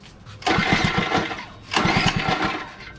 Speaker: she wants to start but she's just dirty once she's on fully it stays on i'll get back on she stays on for a second or two so we gotta take out the carburetor and clean it completely from the inside